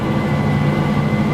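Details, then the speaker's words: 1987 Chevrolet Monte Carlo SS V8, first start after 20+ years parked: even, slightly raised drone with a faint steady whistle; it idles a little high just after a cold start, then slowly drops. "It idles a little high when you first start it."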